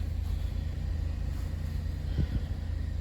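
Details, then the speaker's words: Salvage 2012 Chevy Impala at idle: low, smooth, steady idle with an even beat, no ticking or knocking; runs great. "Runs great, purrs like a kitten. No complaints there."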